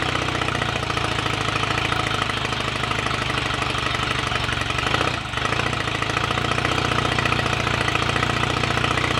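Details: Royal Enfield Rickman Interceptor 750cc parallel twin, first start after owner engine rebuild and gearbox rebuild, tick over not yet set: steady, even fast idle with a brief dip, no knocking or rattles; sounds good mechanically.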